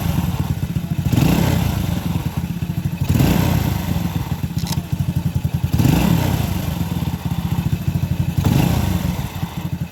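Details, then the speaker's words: Honda Supra motorcycle single after reassembly with timing set: revs and settles cleanly with even beat and no rattle; slight hum from an overtight timing chain, judged harmless. "Oke, suaranya halus tapi ada suara dengungan. Oke, baiklah. Ini sudah sangat lancar."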